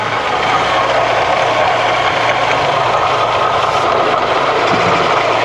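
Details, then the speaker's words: Barn-find SAAB 99 started for the first time after long storage, fuel pump delivering fuel: loud steady engine drone with a faint low hum underneath, no knocks; sounds like some dry bearings somewhere, condition still unproven. "Sounds like some dry bearings or boulders somewhere, doesn't it?"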